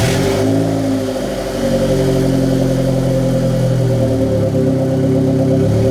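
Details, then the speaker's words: Turbo project car after turbo build, restart with idle being adjusted: smooth even idle, steady low hum, no stumbling; idle possibly slightly high but lower than usual. "Perfectly fine. For right now, it's idling. It might be idling a little high."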